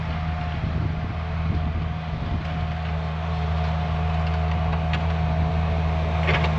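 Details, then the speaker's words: Budget Bobcat skid loader, about a year into ownership, using no oil and about a tank of fuel in roughly 17 hours: a steady, even idle with a smooth low drone and no knocks, misses or surging. A normal idle. "Looks like we are right up on oil, so using no oil. It's been running great. I'm super happy with it, so that's awesome."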